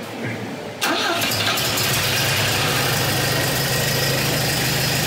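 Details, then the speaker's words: 1962 Volvo Amazon with rebuilt B20 four-cylinder and SU HS6 carburettors, after fitting the new exhaust downpipe: catches and settles into a steady, muted idle without hiss or rasp, much quieter and sealed. "sounds much quieter that's nicer let's get it out of here huh"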